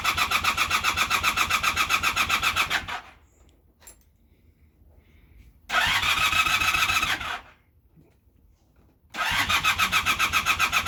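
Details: Honda Super Dream cranking in three bursts at about four turns per second, each ending in silence without a single firing; the engine cranks but won't start.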